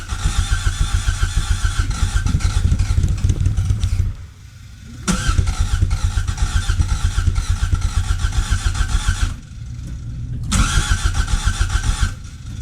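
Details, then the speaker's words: 1986 Toyota MR2 AW11 with a new fuel pump and tank, pump working: catches and chugs roughly for a few seconds, dies twice and picks up again; no fuel delivery, runs only on starter fluid; injection system still not functioning. "I'm still not getting fuel it's taking starter fluid to to to make it run"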